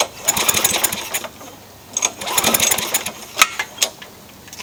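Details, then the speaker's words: Craftsman mower with engine swapped in for the blown Tecumseh, Champion RJ19LM plug fitted: two short pull-start cranking bursts with rapid chuffing and ticks, never catching; no spark, traced to a pinched coil wire. "Still nothing. I suspect it's grounding out somewhere, as bodged as this thing is."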